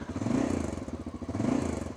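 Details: 33-year-old Honda Dominator 650 single on a roughly 10,000 km trip, at least 600 km into the day: big single thump with quick metallic clatter on each beat, rattle present whether engine hot or cold; source not pinned down.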